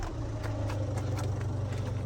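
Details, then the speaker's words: Ford Fiesta diesel, warmed up after a run, smoke gone: steady idle with a faint, fairly regular light ticking that occurs only at idle and stops when revved or moving; owner suspects a timing tensioner or idler. "We've got that noise. And it's only on idle. So if you rev it, move the car, completely stops. So my suspicion is that it's going to be a tensioner, idler or something on the timing."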